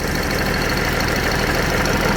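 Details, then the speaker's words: Old truck used for milo harvest, idling in cool weather while checking a suspected coolant leak, coolant level not too low: steady, even idle with no knocks or misses; motor sounds good, normal idle. "Motor sounds good."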